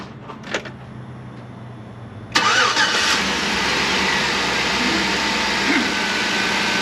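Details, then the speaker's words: 2008 GMC Yukon V8 after a DOD/AFM delete that became a full engine removal and rebuild: first start catches and settles quickly into a smooth, steady idle with no knocks or ticks. "well that turn on sounds good so obviously we did something right"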